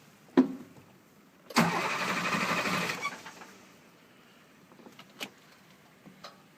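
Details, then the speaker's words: 2007 International 4300 with DT466 diesel, cold winter no-start despite plugging in overnight, crank sensor already replaced, water-in-fuel light: brief cranking that never catches; fixed by replacing the injector harness and high-pressure oil rail seals. "Alright. This is unusual for not start up the temperature. Very unusual."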